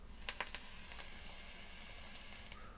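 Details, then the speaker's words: Vaponaute Le Turbo vape on first use: sharp crackles then steady hissing sizzle as the coil fires; owner suspects flooded with juice or coil built too close/too far in restricting airflow; coil sizzle and crackle. "That sounds terrible. What have I done? I've broken something. I've either got the coil too close, or I have actually flooded it."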